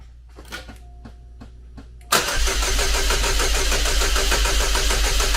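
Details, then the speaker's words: Chevrolet Cobalt SS (LSJ supercharged engine, supercharger just reinstalled on old gasket) no-start traced to very low battery: weak clicks and faint whirs on a jumper pack, then it catches abruptly into a fast, busy idle, run only briefly. "lo and behold that's what it was the battery was so low it just didn't want to fire"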